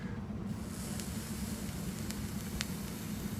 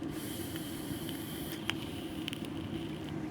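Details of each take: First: Vape coil built from stainless steel SS316L wire: soft, even sizzle with only a couple of faint ticks and no sharp popping, snapping or spitting, unlike regular kanthal; the coil is firing cleanly. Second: Soft sizzle with a few sharp pops after the fire button is released, as the hot SS316L soft wire vape coil keeps crackling while it cools. The mod battery is nearly dead.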